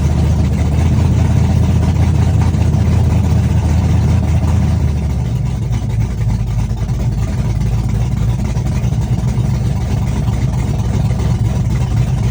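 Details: Chevrolet S-10, first cold start of the day, open headers, Holley red electric fuel pump, cam about .480/.488 exhaust lift, ~297° advertised duration: loud choppy idle with uneven lope, steady and firing cleanly; normal big-cam idle.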